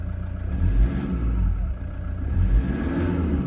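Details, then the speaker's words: 2015 Toyota Prado 1KD-FTV diesel, about 90,000 km, cold start at about 7 °C, light revving: low smooth rumble rising gently with no knocks or rattles; normal, quiet cold diesel running. "these are diesel engines they do make some noise but in my opinion that's very quiet for a cold engine"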